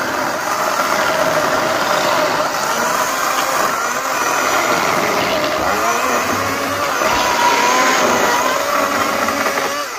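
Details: Greenworks 80V battery chainsaw cutting mostly oak sawmill slabs: steady electric whine rising and easing as the chain bites into hardwood; saw cuts cleanly, normal operation.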